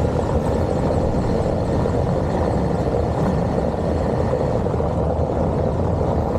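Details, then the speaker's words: Mercedes Vito W639 test drive after replacing front brake pad clips, driven slightly faster over cobblestones: steady road rumble with no clicking or rattle; brake rattle since new pads fitted is fixed. "Während der normalen Fahrt hat man nichts mehr gehört. Und auf dem Kopfsteinpflaster fahren auch so gut wie nichts mehr würde ich sagen."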